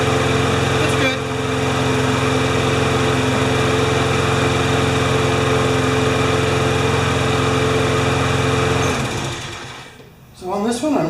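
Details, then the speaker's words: Briggs & Stratton 6.5 hp flathead lawnmower with primer ball and no automatic choke, which started then stalled. It drones unevenly for about nine seconds, then sags and dies. Water and dirt found in the carburetor bowl; a carb clean is planned. "there's just a little tiny bit of water in the bottom and I don't think it's it's pretty dirty to me you can see it down there so that's probably what's making it run questionable"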